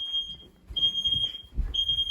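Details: Home fire alarm system test, detector triggered with deodorant spray, heard downstairs from another room: shrill high tone in roughly one-second on-off pulses, faint and echoing; alarm carries through the house and works.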